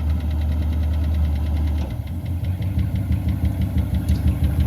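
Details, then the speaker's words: Long-sitting jet-age barn-find car being revived, with an ongoing carburetor overflow issue: a light, fairly regular tap about three times a second over a lumpy idle, tracking engine speed. Engine tapping, source unidentified. "Maybe, maybe not. I hear the thing tap tap tap away."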